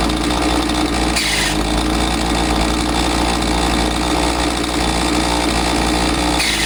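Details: Husqvarna 543XP two-stroke chainsaw that bogged after the owner misadjusted the carb with online adjustment tools, now running after the shop's carb adjustment: a steady, even high-speed buzz with no stumbling or surging, clean and properly tuned.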